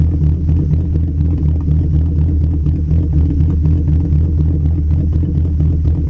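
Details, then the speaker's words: Mk2 VW 12V VR6 drag car with 276 Techtonics Tuning cams, Mark IV head gasket, titanium retainers, ARP rod bolts and head studs, ported manifolds, 2-3 inch exhaust: deep uneven loping idle chop, about four beats a second; healthy big-cam idle. "It has 276 cams, so it has a nice idle chop, and has Mark IV head gasket, titanium retainers, ARP rod bolts, ARP head studs, all that kind of stuff."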